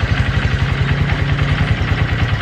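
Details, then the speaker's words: Honda Verza motorcycle being repaired for hard starting. After the work it settles into a quick, even idle with no misses or knocks, now fairly normal. The slightly low idle is possibly from the piston and block still wearing in. "sudah sedikit normal ya"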